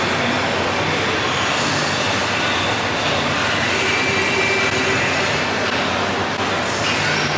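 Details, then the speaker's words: Honda S2000 at road speed after axle, hub and wheel bearing replacement: loud steady airplane-like roar over tire noise persists; suspected worn wheel bearing drone, not fixed by the repair. "it should sound like an airplane like we're on the runway about to take off this is driving me crazy"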